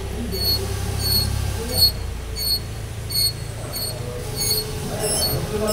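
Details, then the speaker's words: BMW front wheel turned slowly with the wheel pushed by hand: a short, sharp high squeak about once a second; slight wheel bearing play lets the brake anti-squeal shim rub the disc. It stops when the brake is applied. "das bisschen Radlagerspiel reicht aus, dass der da schleift."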